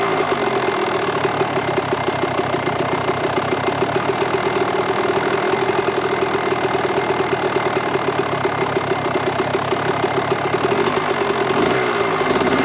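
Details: 1998 Kawasaki KX125 two-stroke, rebuilt OEM carb, started quickly on choke: fast crackly idle, slightly uneven, soft and blubbery; fueling still rich on the current pilot and main jets, so the carb is being pulled to swap them.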